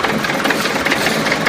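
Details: DT-75 tractor diesel with a knock in the engine; sharp, rapid tapping rides over the diesel clatter, source not pinned down.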